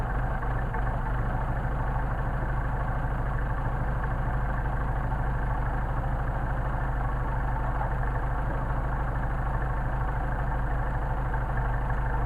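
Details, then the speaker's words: 190SL with Solex carbs, cold start on choke (closed butterflies, rich) after sitting about a week, ambient about 65°F: steady, even low idle with a smooth regular beat and no knocks or misses. Settling nicely. "okay we're going to switch on I'm going to choke and we're going to see how they things well they start the ambient is that about 65 degrees out not bad for sitting for about a week"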